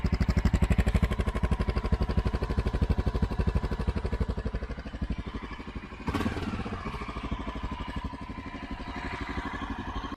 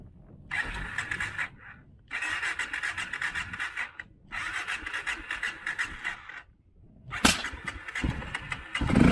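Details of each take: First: Honda XR650L jetted 52 pilot/155 main for 2,000 ft with Dave's mod and stock pipe, idling at 6,400 ft after a hard rich start: steady, even big-single thumping, no misses or knocks, slight blip midway; idles fine for practical purposes. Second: Honda XR650L with Dave's mod, stock pipe, 52 pilot and 155 main jets set for 2,000 ft, at 6,400 ft: repeated starter bursts with pauses, then one sharp bang before catching; mixture too rich at altitude makes starting hard.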